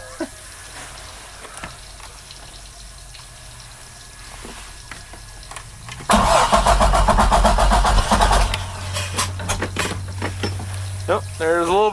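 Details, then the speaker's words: 2008 Bayliner 195, 4.3L Vortec V6 with MerCruiser Alpha One, first start after winter storage, fogged, carburetor bowl primed. Slow cranking, then it catches roughly with uneven pops and sharp bangs, backfiring as it struggles to start. "oh I can hear it spraying fuel now it's kind of irrated but oh oh wow got a bit of a backfire"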